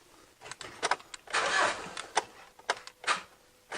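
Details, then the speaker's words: Mitsubishi Triton with an intermittent no-crank fault, reproduced at the key: scattered sharp single clicks at the starter solenoid with no cranking; suspected solenoid contact fault or a voltage drop somewhere, not yet confirmed. "I did hear an audible click down at the solenoid so whether it's a solenoid fault or whether it's got a voltage drop somewhere I don't know"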